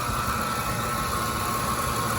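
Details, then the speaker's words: 2006 Ford F-150 idling on a cold day; tensioner and idler were replaced earlier and the owner first suspected the alternator. A constant thin whine is unchanged by steering; the source is a dry idler pulley bearing hidden under the air intake. "so in the end the grinding noise came from this bearing right here you just feel how dry it is how it spins freely compared to the other one"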